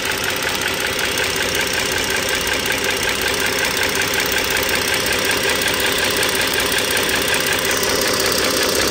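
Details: 2009 Dodge Journey SXT V6 (3.5 L stated, title says 3.6 L) idling, mic near the engine: fast, even, light ticking near three a second over a smooth idle. Owner suspects the rocker arms and shafts, likely not pistons or transmission.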